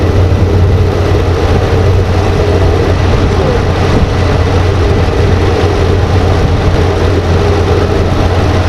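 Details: 2014 RAM 2500 6.4L V8, first start after replacing the transmission solenoid pack and fixing the corroded connector behind a P0706 no-start (no Park/Neutral): loud, steady deep rumble, no knocks or misses; running smoothly.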